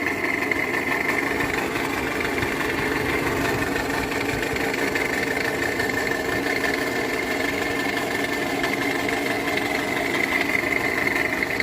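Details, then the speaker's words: 2015 Russian-built Toyota Camry XV55 2.5 petrol idling with a fast, dry diesel-like clatter; noise vanishes when the accessory belt tensioner is pressed, so owner suspects the tensioner or alternator, not the balance shaft. "Toyota Camry 2015 года, российская сборка. Двигатель шумит капельный, как будто дизель"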